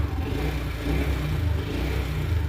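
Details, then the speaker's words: Steady, even low hum with no knocks as a 2022 BS6 TVS Jupiter 125 scooter, which would not start due to a dead battery, starts and idles after a new battery is fitted; fuel was very low, malfunction light on. "புது battery மாட்டியாச்சு. இப்ப வந்து வண்டி start ஆதான்னு பாப்போம். வண்டி on ஆயிடுச்சு."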